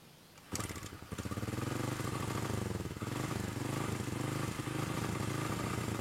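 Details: Honda Karisma motorcycle with new carburetor that still drips fuel: fires up then idles with choppy, uneven sputter; rough idle because carburetor air screw was fully closed and never adjusted after fitting.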